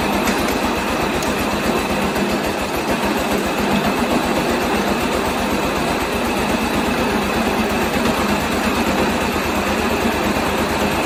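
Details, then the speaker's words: 1986 John Deere 216 lawn tractor single-cylinder after carb cleaning and PTO belt adjustment, idling without load: quick even buzzy rattle on every firing pulse; both loose side panels vibrating against frame. "and I mentioned it before that noise you guys are hearing this that's the side panel over there both of them do it"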